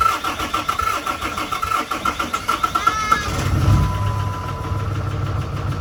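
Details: 2008 Dodge Ram 3500 6.7 Cummins diesel bought as a no-start, fuel reaching the rails but injectors untested, cranks long then catches into a lumpy, rough idle; rough running after first start.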